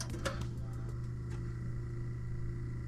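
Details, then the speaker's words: Kenwood KX-644W dual cassette deck powered up: a few light clicks then steady low motor hum, motor runs but flywheel and transport do not turn; owner suspects perished belts. "don't know that you can hear that but I can hear the motor running probably to turn the flywheel nothing spins thus far I would imagine all the belts are just perished"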